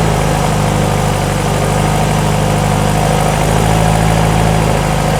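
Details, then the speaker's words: VW-based Porsche 356 Speedster kit car, cold start after heater warming, generator light off, 40 PSI oil pressure at idle: low even smooth idle with no knocks, misses or rattles; normal cold idle. "Cold start. Oh, baby. Talk dirty to me. Gen light off. 40 PSI at idle."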